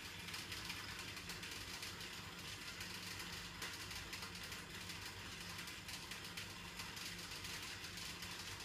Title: Weird Noise coming out from Electrolux washing machine